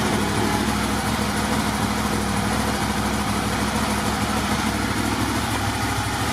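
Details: Motorcycle with about 22,000 miles idling on a very hot day. Steady, even idle with no knocks or misses. Idle is normal, and the battery charging voltage reads 13.89 V running.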